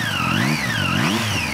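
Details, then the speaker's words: Three-cylinder motorcycle engine (Triumph, MT-09 type) whines high and whistle-like, rising and falling with revs; claimed cause is straight-cut balancer shaft gears, disputed and unconfirmed. "whining noise you can hear because of their balancer shaft, because of the rocking coupling, the coupling moment that three cylinders have, right?"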